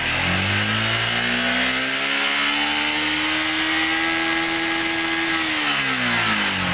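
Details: Yamaha R15 motorcycle after replacing the regulator, charging reads 14 V: engine revs up smoothly, holds a steady high note, then drops back cleanly without stuttering.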